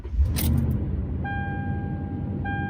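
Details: Truck that cranked but would not start, now starting after a blown fuse was replaced: keys jingle, then V8 settles into a deep, even idle with a steady dashboard chime; normal start and idle.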